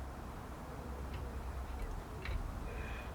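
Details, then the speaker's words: Cut-open sump pump float switch, tipped by hand: a few faint, sharp clicks, about one a second, over a low hum as the stainless steel ball rolls to the end and presses the microswitch, working normally. "one more time ball rolls down at the end pushes the micro switch"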